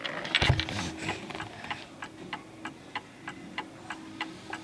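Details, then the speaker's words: 1930s Garrard Art Deco oak mantel clock, 8-day pendulum movement with gong strike, giving crisp, evenly spaced ticks about three a second, running steadily; normal even tick, clock in beat. "But at the moment, as you can see, it's pretty much ticking away quite nicely."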